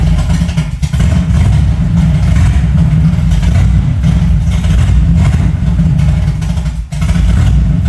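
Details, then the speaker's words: 1975 Chevy C10 V8, first start of newly rebuilt engine: deep booming rumble with heavy lumpy pulses and no muffling because the exhaust pipe fell off; loud exhaust from disconnected exhaust pipe. "Dude, the exhaust fell off. That's why it's so loud."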